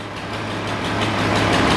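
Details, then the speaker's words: Datsun 240C inline six after replacing a dead spark plug that caused a misfire: even steady idle with a smooth low beat, no misses; an exhaust leak remains to fix. "Well, there you go. It was dead plug. Yeah, righto. That's mint now."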